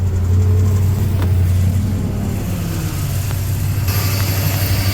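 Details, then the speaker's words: Ford F-250 Super Duty 6.2 V8 with multiple-cylinder misfire at idle: uneven stumbling idle with a faint light ticking; owner suspects a broken valve spring, not loud; coils to be checked first. "No sé si un resorte esté quebrado de una válvula, pero no se oye muy fuerte."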